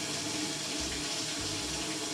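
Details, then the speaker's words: Maytag Centennial washer MVWC555DW1 in manual test mode, water fill test during scraping-noise diagnosis (stripped wash plate); steady hiss of water entering the tub, no buzzing, chatter or hammering — normal water fill. "Second one is water coming in. We're just gonna go ahead and redo this test again to make sure we don't have any noise whatsoever."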